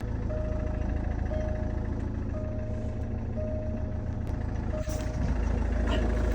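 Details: Jaguar XF with key not accepted, after BCM reinitialization, VIN relearn and key re-added: steady low rumble under a chime about once a second, then firmer surge as it fires; starts normally.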